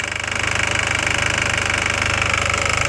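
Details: Audi TT 1.8T (AUQ engine), warm: idles with a fast, even metallic ticking rattle over its steady hum; the ticking/rattling occurs with the engine warm.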